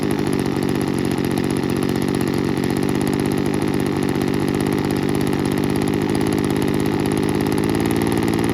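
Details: 1980s/90s McCulloch two-stroke gas leaf blower (Zama C1U-M21B carb), rebuilt with a carb kit and new fuel and air filters, cold morning in the 30s°F: fast, steady, buzzing idle with an even beat, no misses or surging.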